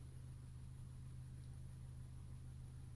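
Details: Honda Accord 2.4L Earth Dreams, 172,406 on the odometer, cold start after cam chain tensioner replacement (TSB 19-019): smooth steady low idle hum, no grind or rattle.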